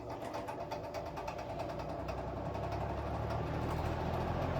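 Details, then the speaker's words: Eskimo two-speed box fan running. A low hum with light, regular ticking about three times a second, only when the fan is spinning. Nothing is visible in the cage; owner suspects something loose in the motor. "there's like something like rattling around in there. I'm not sure what to do about it. But I don't see really anything in the cage. It's gotta be in the motor or something."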